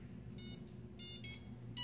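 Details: Quadcopter on KK2 board (V1.19S1 Pro firmware): ESCs for motors 1 and 4 emit short, shrill lower-pitch beeps about twice a second and won't arm, while motors 2 and 3 spin; recalibration and throttle reversal didn't help.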